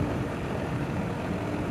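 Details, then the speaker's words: Amana 1.5-ton AC condenser after compressor reset from thermal overload with a coolpressor: steady even low hum, no knocks or cycling; compressor and fan running normally. "all right we're up and running on to the next one"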